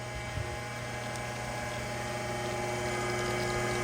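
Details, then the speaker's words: Electric fuel transfer pump switched on to refill the truck's tank: even hum with a steady motor note and no knocks, surging or grinding; the pump runs normally. "grab the neck flip on the juice pump is running now we can [Applause] refill"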